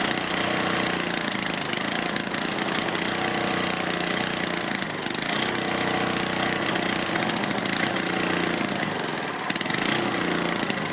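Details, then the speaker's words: Tecumseh/Lauson HH60 cast-iron four-stroke from old Troy-Bilt tiller, first start after rebuild of seized rod, carburetor not cleaned: loud ragged uneven running with surges, won't idle, smoking; owner plans to clean carburetor. "well i don't like that it's smoking a lot although i think it might be just burning off oil oil on things and it won't idle but i'll clean the carburetor"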